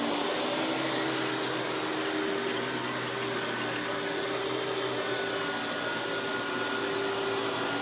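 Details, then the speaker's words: Hoover PowerMax Supreme 850 S3609 canister vacuum, 1990s unit, on high speed: steady, even motor whine with constant airy rush, no surging or rattles; runs smooth, fairly loud as cheaper canisters were. "So as you can hear, this runs very smooth. Definitely isn't the quietest of canisters, but that's kind of the thing with cheaper canisters of the time."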